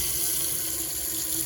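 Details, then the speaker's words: Swift Bolero motorhome, pump on, kitchen tap at hot setting: smooth continuous water flow with no spluttering, pump ticking in the background, showing the boiler is full and it is safe to switch on water heating. "And if you've got a continuous flow of water like that, you know the boiler is full."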